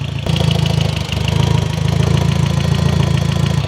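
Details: Audi MK1 TT 1.8T first start after aluminum radiator install, power steering fluid low making the pump loud; loud uneven lumpy idle that dips and surges; rough idle.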